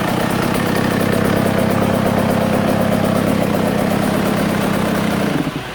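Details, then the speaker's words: Husqvarna TC85 two-stroke after crank, piston and bearing rebuild, warm after one heat cycle, smoking from crank pre-oiled with two-stroke oil: crisp, even burble holding steady five seconds before shutoff; normal running. "I will say she's definitely smoking like a bandit, but you know, I loaded that whole crank up with a ton of 2 cycles, so that's pretty normal."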